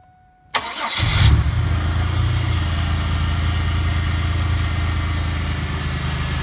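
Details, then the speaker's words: 1998 Pontiac Grand Prix 3800, starting after replacing the mass air flow sensor for code P102 and cleaning the throttle body: cranks, catches quickly and settles into a smooth, steady idle with an even low hum; normal. "Sounds good so far. Let it warm up a little bit and go for a little test drive."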